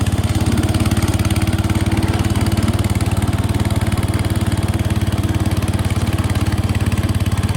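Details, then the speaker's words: 1968 Case 155 garden tractor, revived and cleaned up, on a test drive: steady, even single-cylinder thump at a constant rate with no misses or knocks; running smoothly. "okay guys got all the steel wool cleaning done we'll take it for a quick cruise and I'll take in the garage and show you how it turned out running great"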